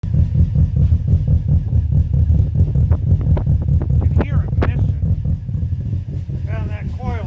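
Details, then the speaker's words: 2005 Subaru Forester XT at idle; owner thinks it runs rich, and it hesitates when throttle is applied. Low, uneven, lumpy idle rumble with no steady rhythm; rough idle, cause suspected, not confirmed. "out I think it's running rich but when you go to hit the gas it don't want to go"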